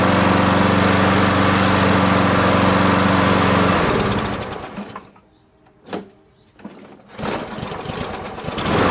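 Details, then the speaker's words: Craftsman 7HP green self-propelled lawn mower, long hard to start; after adding fresh gas, even fast beat for about four seconds then stops cleanly, no misses; never started that well before; owner suspects old gas was bad. "gotta tell you something man it's never started that well before honestly"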